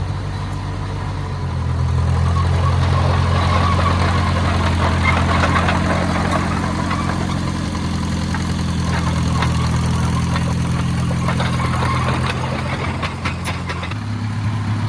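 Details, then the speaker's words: Oliver Cletrac OC3 crawler warming up after a manifold gasket change and carburetor adjustment: an even, regular low thrum at about three and a half beats a second with no knocks, barely any smoke. Normal warm-up idle. "But man, that has sounded good. Barely any smoke coming out of it now. That is beautiful."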